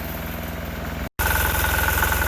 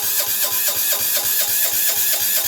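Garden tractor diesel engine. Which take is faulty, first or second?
second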